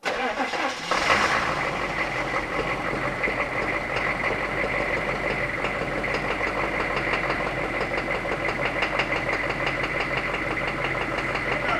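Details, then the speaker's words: 1990s Chevrolet K3500 1-ton diesel after plugging the new injection pump's computer with calibration resistor onto the old pump: cranks, catches within a second, settles into a fairly steady rattling idle, running much better; timing still slightly off. "I couldn't believe it this thing was already running way better I thought I was going to have to replace the entire injection pump but it turns out it may have just been the calibration resistor"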